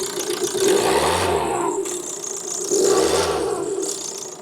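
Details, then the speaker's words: 2012 Ford Transit Connect on a ramp, blipped to about 2,000 rpm: a rattly "woo woo" whine rising and falling with engine speed; source not yet pinned down. Timing belt/fuel pump belt age is unknown, cause suspected but unconfirmed. "I think it is coming from this area here give it a r see if we can listen to it you hear it like a woo woo"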